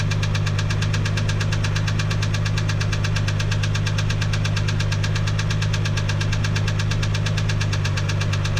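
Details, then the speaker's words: 1987 Toyota MK3 Supra Turbo, idling: sharp, even tapping about three knocks a second over the idle, not always consistent, heard from the left valve cover area; cause suspected, not confirmed. "So as you can hear, sounds terrible."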